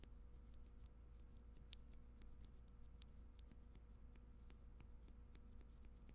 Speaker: you guys hear that there's like a metallic sound you're supposed to make that noise no so almost all linear switches mx-style linear switches have that problem some are more pronounced than others see this one is especially bad as far as i know it is the leaf